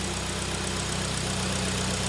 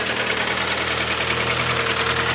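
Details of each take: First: 2011 Hyundai ix35, G4KD engine, FWD automatic, 157,000 km, LPG fitted, after repair of loud knock from scored cylinders, heard from outside running on petrol: smooth, quiet, even idle, steady low hum, no knocking or ticking. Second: 2011 Hyundai ix35, G4KD petrol engine, FWD automatic, 157,000 km, running on LPG: idling with a loud, fast, regular knock about three times a second; scored cylinder walls, likely needing boring or sleeving.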